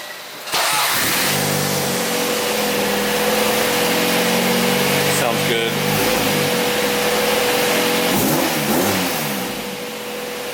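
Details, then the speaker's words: Car after reinstalling a Revel exhaust and fixing loose heat shields: starts and runs steady, clean revs rise and settle with no ticking or puffing; exhaust sealed, no leaks. "sounds good, no leaks. Happy about that."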